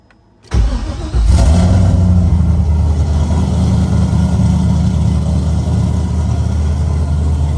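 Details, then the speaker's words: LS V8-swapped Nissan S14 240SX, first run with new exhaust and silencer fitted, coolant low: quick crank, catches with burst of revs, settles to loud, steady deep idle, no miss or knock. Normal start and idle. "But for now, we're gonna start it with this silencer in there. See what it sounds like."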